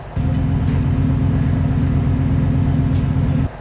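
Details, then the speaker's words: Stock Fox Body Mustang V8, given a shot of gas to drop the idle, after a no-parts fix. Low, steady, even rumble with no misses, hunting or vibration; smooth idle the owner never had, no longer needing his foot on the gas. "Okay, Joe's gonna give it a shot of gas to drop the idle. And here we have it. There you go. This is what he never had since he's bought the car."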